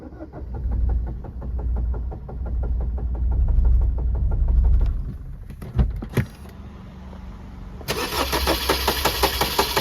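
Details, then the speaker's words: 2019 Maruti Swift diesel cranking about six seconds before catching, then an uneven, lumpy idle with irregular thumps; long cranking and misfire, cause not yet found. "2019 diesel Swift ആണ് വണ്ടി വല്ലാത്തൊരു മിസ്സിം ആട്ടോ starting വല്ലാത്ത delay ആണ് അതെങ്ങനെയാണെന്ന് നമുക്ക് നോക്കാം ട്ടോ"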